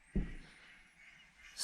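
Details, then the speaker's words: 2005 Kawasaki KX250F engine, camshafts removed, turned by hand: one dull thump then a sharp rush of hiss as compression escapes; head gasket or valves suspected, valves seen as more likely. "quand je fais tourner le vidéo on entend bien la perte de compression qui s'échappe"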